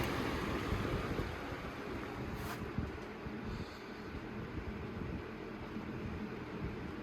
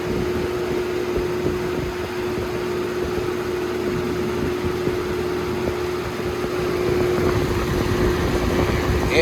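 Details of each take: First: Holmes HABF-20 box fan (2000s) on low/medium setting: soft, even rush of air with no hum, buzz or rattle; the humming fault occurs mainly on high, sometimes medium. Normal quiet running. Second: Holmes HABF-20 box fan, circa 2000–2001, on high speed: loud steady roar with fixed hum and uneven rattly buzz underneath; fan shakes badly on high, vibrating in its housing.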